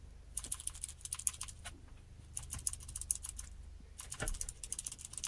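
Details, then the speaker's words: Car PCV valve removed after a year and shaken by hand to check it: quick light clicks in short bursts as the plunger rattles freely, meaning the valve works properly, though it had light oil inside and needed cleaning. "देखिए, तो अगर इस तरीके की इसमें आवाज़ आती है, तो इसका मतलब ये बिल्कुल परफेक्ट कंडीशन में काम कर रहा है, ठीक है।"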